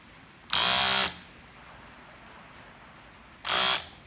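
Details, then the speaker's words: Land Rover Freelander 1 window regulator motor: short, harsh, high-pitched grinding whirs each time the window runs. "Freelander 1, window regulator. If your window regulator's making this kind of a noise,"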